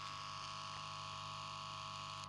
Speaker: короче усилитель прогрелся и бодро загудел слушайте слышите